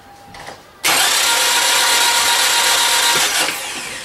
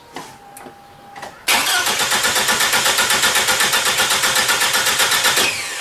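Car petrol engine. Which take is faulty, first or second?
first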